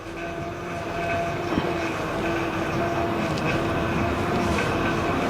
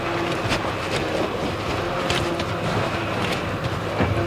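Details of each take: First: 2008 Honda Odyssey: steady hiss with a thin whine when turning the steering wheel. A busted, leaking power steering pump was confirmed. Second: 2008 Honda Odyssey after fixing hissing power steering pump, checked after a couple of minutes: engine hums steadily while the wheel is turned, no hiss or whine; power steering operates normally.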